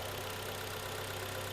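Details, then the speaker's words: 2011 Kia Cerato G4KD, 211k mileage, brought in for knock: smooth, even idle with a steady low hum, no knocking or ticking, runs quietly and cleanly; normal idle. "хорошо работает прокачалась и завелась прямо так чётенько да"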